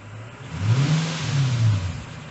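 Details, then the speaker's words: Infiniti M45 V8 after modifying the aftermarket aluminum undertray that caused a drone: smooth single rev rising and falling cleanly with deep aftermarket exhaust rumble, no buzzing, knocks or rattles; engine quiet and healthy. "Let's rev the engine. There you go. Nothing happens. Oh my goodness. See, I told you, this engine is pretty smooth. You can hear the exhaust, which mine is aftermarket right now."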